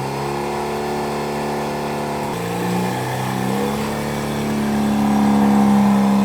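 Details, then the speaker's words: Mazda RX8 track car after an aluminum Koyo radiator, Mishimoto low-temp thermostat, new NGK coil wires and 50-50 Prestone coolant, hood cracked: a smooth, even rotary idle settling slightly lower, with no knocks, misses or ticks; healthy. "So we've got her running, as you can hear. I just have the hood cracked."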